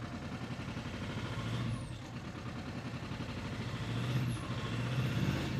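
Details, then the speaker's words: Audi A4 2.0 TDI after turbo replacement, no fault codes, injector corrections -3 on two cylinders: rough running when revved, lumpy stumbling note. Owner suspects two injectors clogged by oil that entered the intake on those cylinders; unconfirmed. "Okay, that's definitely not running as it should."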